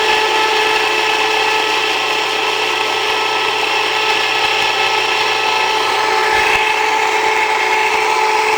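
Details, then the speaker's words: Jiffy Precision Mill, an electric steel burr grain grinder, milling einkorn: loud, steady high-pitched grinding whir that changes slightly at the end as the grain runs out; normal operation. "So it's going to be a little noisy. Here we go."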